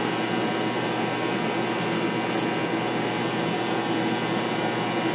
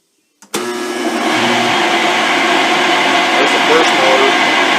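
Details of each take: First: Shop phase converter running after new bearings were fitted: smooth steady hum with even whir and no rumble or rattle, sounding healthy; an initial buzz was possibly a contactor not kicking out. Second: Rotary phase converter motors with worn bearings, running before teardown and bearing replacement: spins up within a second, then a steady loud howl with a high whine on top; baseline recording for after-repair comparison.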